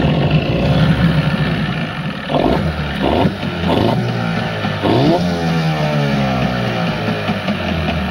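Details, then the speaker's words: Evinrude 15 two-stroke outboard, short shaft, tiller, manual shift, on test tank: uneven idle that sags and dies after a second despite choke and throttle; suspected carburetor issue, idle adjustment being tuned. "Okay. So, it runs pretty good at idle, but it did die after a second."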